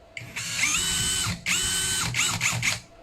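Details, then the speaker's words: Brushless cordless drill after demagnetized rotor replaced and gearbox regreased: spins up to an even whine, steady at slow speed, stops and blips again cleanly, no gear grinding; running normally. "都挺好的，转速也是正常的，这是现在是慢转，快转。"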